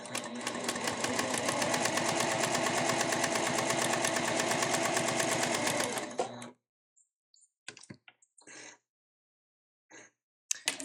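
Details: Elna eF1 semi-industrial sewing machine, new, sewing two folded layers of marine vinyl with lengthened stitch, no Teflon foot: fast even needle strokes with no clunks or knocking, stopping cleanly; normal healthy sewing.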